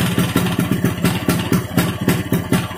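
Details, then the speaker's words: Vespa two-stroke engine running on a stand after an engine rebuild with a mixed Strada/Sprint gearbox. Quick, regular pop with a rattly edge from the undamped stand, otherwise even. The owner judges the engine smooth and healthy. "nah seperti itu suaranya untuk suaranya sih halusnya enggak ada Ashar Bagaimana ya layaknya motor habis di belah mesin dalemanya digantiin menurut saya sih halus"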